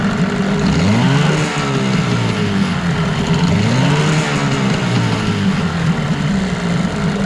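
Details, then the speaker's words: 1989 Evinrude Yachtwin 6 hp outboard in a test barrel: revs surge and sag unevenly, nothing happens through about three-quarter throttle, picks up only at full throttle; suspected carburettor or fuel pump issue, not confirmed; it also smokes. "there's definitely something wrong there about three quarters of the throttle nothing happens and then when you hit the end of it then it starts to pick up RPM"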